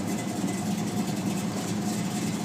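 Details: 1972 Chevelle SS, 502ci RamJet fuel-injected V8 of over 500hp, 400 Turbo automatic, Flowmaster exhausts: a steady, even idle burble with no misses, knocks or ticks. Smooth and healthy.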